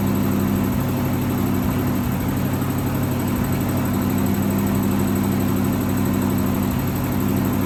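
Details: 1963 AMC Rambler wagon 287 V8 at idle, not started in a while: steady thin high squeal over even idle rumble; left-bank rocker shaft starved of oil after rocker shaft bolts were mixed up installing valve stem seals.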